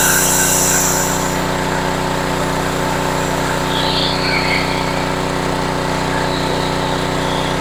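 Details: Homelite HGCA3000 3500 W generator after new carburetor and head gasket, under about 1,500 W heater load at a steady 124 V; steady, even drone holding its pitch with no hunting or surging; healthy running under load.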